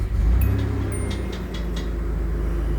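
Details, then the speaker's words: 1985 Nissan 300ZX Turbo 5-speed, stone-cold engine: fuel pump heard priming, then catches quickly and settles into steady, even low rumble with no knocks or misses; healthy cold start. "And it just it just starts up and runs just fine."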